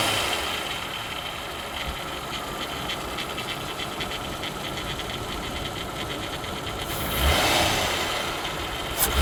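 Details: VW Bora V6 4motion 2001 at idle with a fast, faint, irregular light ticking over the engine; engine noise of unclear cause.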